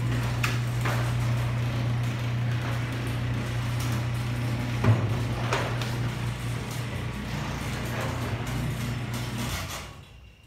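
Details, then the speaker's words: Genie ProMax 1/3 HP chain-drive garage door opener running: fairly quiet low motor hum that wavers slightly as the chain runs, then stops; owner unsure whether it needs lubrication or has a bad gear. "could see it's not very loud at all actually I would say it's not very loud but it's waves a little bit might be lubricated or or it might have a bad year who knows"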